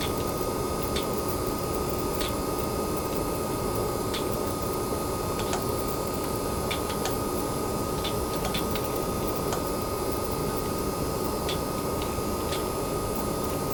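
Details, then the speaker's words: Newer-revision base PS5 running PS4 games (Gems of War), with fan noise measured in the high 40s. Soft, steady airflow hiss with a faint thin high tone and odd light ticks; the fan runs at light load. Coil whine appears in pause menus. "well as you can hear the fan has come on on this space PS5 the newer version going into the high 40s"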